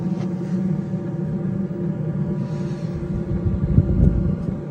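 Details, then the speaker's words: Newly installed diesel heater in a VW T4 van, pump primed, first test on setting 20 while warming up: low combustion rumble with quick fuel-pump ticking about four beats a second, running fast until warm; normal. "Sounds like it's warming up at the moment. Yeah, it's getting faster. So you can hear the pump, hear it firing up. It's getting faster."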